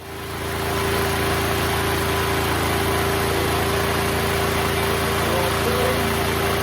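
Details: Neglected Duromax XP12000EH Hybrid Elite 12,000 W dual-fuel portable generator, revived and running off load: steady, even drone with constant hum and no surging; meter showed 63 Hz; running good.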